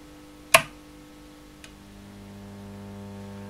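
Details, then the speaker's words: Blackstar HT5R valve amp switched on and warming, then strummed after the FETs were replaced with no effect: a switch click, then a loud steady 50 Hz mains hum with heavily distorted guitar output. "I'll strum the guitar. Horrible distorted, hugely hummy sound."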